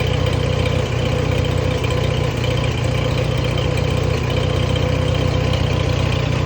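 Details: Allis-Chalmers WD tractor on gasoline, cold start at about 35°F, choke out, after tank sediment got into the fuel line. An even chuffing idle at about four beats a second with no misses or knocks. Normal idle.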